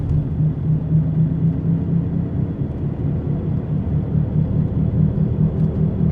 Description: This is what a bad wheel bearing sounds like. It has a whomping noise and will get louder and louder the more you drive on it.